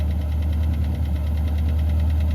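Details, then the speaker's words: Long-dormant jet-age barn-find car revived, with carburetor overflow issue: quick, even tapping about eight per second over a steady low idle rumble; top-end tap, cause unknown. "I hear the thing tap tap tap away."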